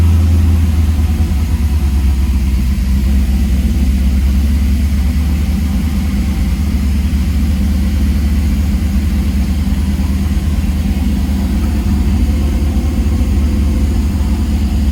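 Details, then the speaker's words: 1978 Trans Am SE with LSX/LS6 swap and FiTech, restarted after adding ATF to transmission, in shop: deep, steady V8 idle with even rhythm, no knocking or ticking; engine sounds healthy and alive. "Alright, I'm gonna turn it off. That's amazing. It started. It sounds good. I think it's alive."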